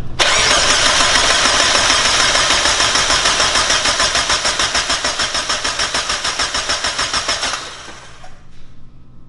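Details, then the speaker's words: Mazda Miata first-start attempt: starter cranks evenly at about 200 compression pulses a minute for seven seconds without firing; spark check with a used plug shows no spark, coil connections and fuses suspected. "all right so first thing obviously you want to check for spark so james is over there with just a used spark plug and um let's see if we see lights nothing huh nope she's dead"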